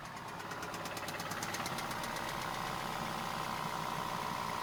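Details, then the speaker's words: Neglected VW Passat at warm idle: sharp, fairly regular knock about three per second that fades and returns; suspected rod bearing knock, though a cracked flywheel or timing chain tensioner is also considered. "It does sound like a very pronounced rod bearing knock, but in my experience I've seen flywheels being cracked and timing chain tensioners causing this very similar knock."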